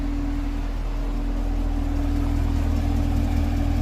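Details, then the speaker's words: Brand-new direct-injection Chevrolet Camaro at idle, heard outside the car and low down. Smooth idle with a light, even tick about four per second; the dealer checked it and said it is normal direct-injection noise. "you would hope it wouldn't tick and it just does cuz the direct injection so it's kind of loud"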